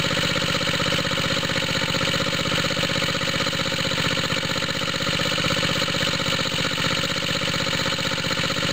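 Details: Small water-pump rig engine, cold start with choke on, after fitting an exhaust tip: steady idle with a throaty chuff about three times a second and a hissy edge. Owner suspects a head gasket leak, smoke from the head.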